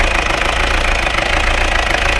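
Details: Peugeot 404 diesel pickup, left-hand drive, sat non-running for years: sharp, regular metallic knocking over the idle at every turn, also while driving; runs on four, crankcase pressure smoking from the breather, moisture in oil; big-end or injector knock suspected, unconfirmed.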